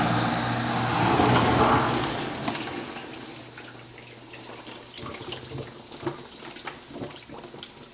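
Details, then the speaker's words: 20-year-old Whirlpool DU8700XB dishwasher, run after a long idle period: strong rush of water into the tub easing into trickles and splashes; the fill stage works normally. "it's definitely working."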